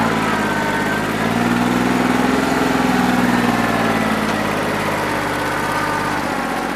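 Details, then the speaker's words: New Holland 1320 diesel tractor with a bad injector, running on about 2¼–2.5 cylinders, still rough after 3 hours of loader work when hot: low idle with a slightly lumpy, uneven beat about three pulses a second; misfire, owner thinks it needs an injector. "We're running on 2 1/4, 2.5 cylinders that don't run too bad. I think it needs an injector, that's what I'm over here playing with."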